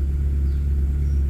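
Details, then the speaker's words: Proton Wira after ignition repair (plug wires refitted) for misfire/surging when hot: engine now idles smoothly and stable with no stumbles, RPM needle steady, earlier vibration gone. "Okey. Alright. Enjin stabil."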